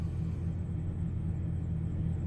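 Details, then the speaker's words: 1999 GMC Sierra at 102,000 miles, steady normal idle right at 800 rpm, deep even rumble with no misses, no engine light; before preventive spider injector, distributor and lower intake gasket replacement. "right at 800 like it's supposed to be. Sounds good."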